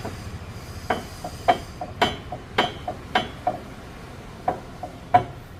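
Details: Red Hyundai i20 being driven: sharp metallic clunks at uneven intervals, roughly one or two a second, over a quiet background; front suspension knock, suspension damage suspected but not confirmed.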